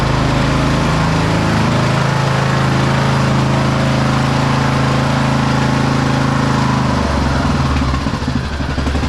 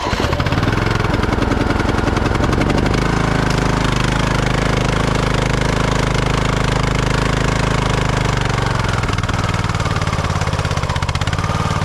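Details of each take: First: 2008 Husqvarna LTH1538 lawn tractor, mower deck running: steady engine drone with smooth deck whir and no grinding. The blades were not seized; after engaging twice they spin freely and sound good. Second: 2008 Husqvarna LTH1538 lawn tractor, jump-started with a battery jump starter: steady single-cylinder chug that falters and sags, then cuts out. A seat or brake safety switch was first suspected; it turned out to have run out of gas, with the fuel below the pickup.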